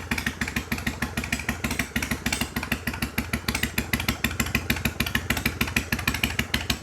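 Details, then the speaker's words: 1993 Harley-Davidson FXDWG Evo V-twin after carburetor cleaning and adjustment, running on fuel bottle: steady even lope with regular firing pulses, no misses, knocks or ticks; idles cleanly and sounds healthy. "Heat. Heat. All right. Well, that sounded pretty good to me."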